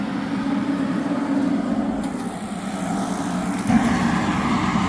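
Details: Propane-fired construction heater bought at a Sunbelt Rentals auction, under test with its fan switched on before the propane was connected; the fan ran at normal speed, not slow like two others. Even fan drone with a steady low burner roar, no sputter or surging: lit and running properly.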